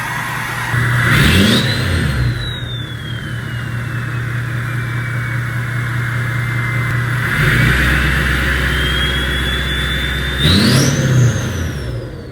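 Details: Ford F-250 diesel, stage three turbo, 5-inch turbo-back exhaust with Magnaflow tip, remote start warm at about 80° after driving: clean catch, steady idle, whistle rising and falling as turbo spools; healthy.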